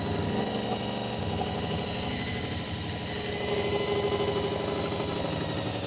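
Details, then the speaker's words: Honda VFR400 NC24 motorcycle with blocked carbs, after strip and rebuild: while balancing the carbs to the lead carb, steady multi-cylinder idle climbs in pitch and loudness as each carb is turned, so the idle must keep being turned down. "As you can hear, as I'm turning the carburetors, throttle's going up, so it's actually defining it all. So I have to keep turning the idle down."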